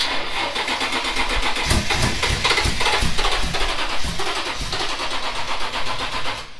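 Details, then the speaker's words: 05 Tacoma 4x4 with swapped-in 5.7L Tundra 3UR-FE engine, first start attempts after key and immobilizer programming, low on fuel: steady cranking with uneven sputters and half-catches, no start; owner suspects intake off, no mass air reading. "kind of sounds like maybe the intakes off like it's not getting a mass air reading"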